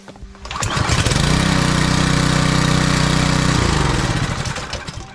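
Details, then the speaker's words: Small four-stroke pressure-washer engine that customer says won't start: one pull, it catches and roars about three seconds, then winds down and dies. "Yeah, it doesn't sound like it runs to me either."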